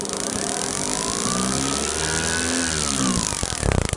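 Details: Pit bike/monkey bike engine fitted with an upgraded shotgun ignition in place of the stock unit: clean, crisp revs climbing and falling smoothly with no misfire or stumble; ignition firing strong.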